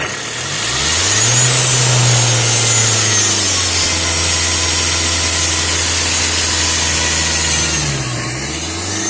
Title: SELTOS IDLER NOISE AFTER ACCELERATION